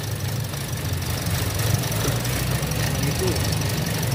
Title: ROUGH IDLE / IDLE UNSTABLE / TOYOTA VIOS SUPERMAN 2017 AT.